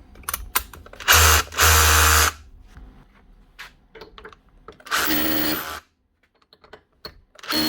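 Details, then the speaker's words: Makita 18V cordless SDS drill after repair: the broken-off switch wire that caused its starting and stopping was soldered and heat-shrunk, with no new switch needed; short crisp bursts of even-pitched motor whirr, starting and stopping cleanly, running healthy. "didn't need the new Switch only the wire had broken off so that was actually starting to stopping it"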